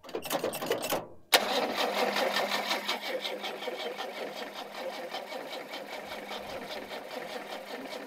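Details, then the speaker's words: 1976 HX Holden Ute revival, fuel in carby leaking at base: fast even starter cranking with faint knock, no firing; owner hears knocking and suspects ignition; cranks but won't start. "I can hear something knocking in there already. Which, I wonder if it's not starting because the ignition."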